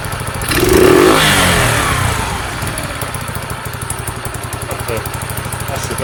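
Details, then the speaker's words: Sinnis SC125 single-cylinder motorcycle, cold spring day, after idle screw adjustment: brief rev blip then steady, even putter at idle with no misses; runs the best it has. "the best it's run ever, I think. Sounds good for that product, actually."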